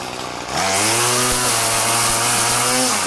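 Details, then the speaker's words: Murray M2500 bent-shaft two-stroke weed trimmer, curbside find, cutting goldenrod and dog fennel: snaps up to a high, steady buzz and holds pitch through the cut without bogging; healthy under load. "she works great damn I'm impressed uh that's that's a perfectly good weed eater"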